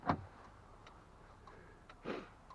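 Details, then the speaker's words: Cheap 4x4 truck: opening the door set the interior lights blinking like a turn signal, and the signal flasher relay clicks quickly, about twice a second, in a quiet cab; cause unknown. "You can hear it's literally clicking in the signal flasher down here."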